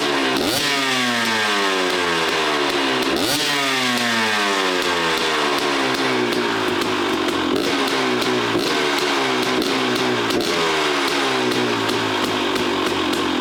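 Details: KTM 250 XCW two-stroke after fitting an FMF exhaust pipe listed for a 2018 XC: crisp blips revving up and falling back cleanly with a sharp ringing note. Runs healthy and responsive, maybe slightly louder than before.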